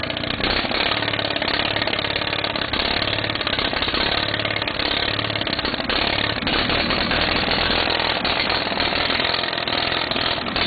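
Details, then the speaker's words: Case 646 engine that runs fine after setting the points gap to 0.020 but starts running crummy partway through a later run; loud rapid clatter, steady with slight unevenness in the beat, cause not yet found. "she'll run good, and all of a sudden she'll start running crummy kind of halfway through."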